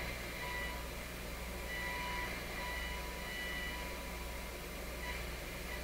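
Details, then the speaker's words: Nordmende Norma Luxus tube radio on FM, receiving a signal-generator tone near 100 MHz: the tone comes and goes under heavy hiss, weak and rough instead of clear. Distorted FM reception from an intermittent contact. "Not good at all. Let me turn up the output on the signal generator here. Okay, so that should be making a perfectly clear tone, not a distorted thing like this."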